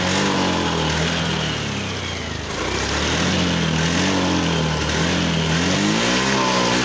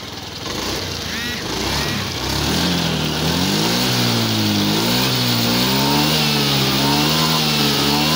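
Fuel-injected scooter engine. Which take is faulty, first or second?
first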